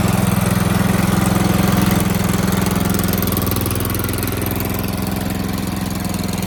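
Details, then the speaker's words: Toro Z4200 TimeCutter 54-inch zero-turn mower, flooded in Hurricane Irma and parked about 2 years, revived with fuel and a charged battery: strong, even chug at steady idle with no misses; running properly. "There you have it, she's running. Telling you, doesn't take much to get these old mowers going."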